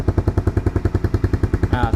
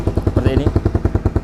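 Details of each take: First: 2010 Honda CBR150R first gen, idling with rusted-through muffler hole held covered: even idle pulses about three and a half per second, deeper and steady; exhaust sounds tight with the leak blocked, noisy when uncovered. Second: 2010 first-generation Honda CBR150R with its muffler rusted through and due to be patched; covering the hole changes the sound. Loud, raspy popping idle about twelve pulses a second with a hollow bark: exhaust leak.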